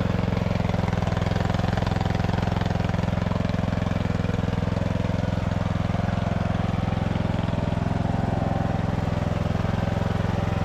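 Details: Poulan/Husqvarna riding mower saved from scrap, after cleanup and refurbishment: loud even single-cylinder thump holding steady speed, no knocks or misses; engine runs healthy.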